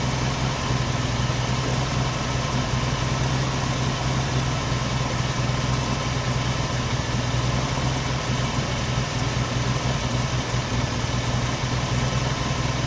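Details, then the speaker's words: 1990 Jeep Wrangler carbureted engine restarted after long storage, fuel tank refitted; low, lumpy idle with an uneven, shaky beat; really rough, owner plans to clean the injectors and carburetor. "it gets out of the sunlight and here she's really rough"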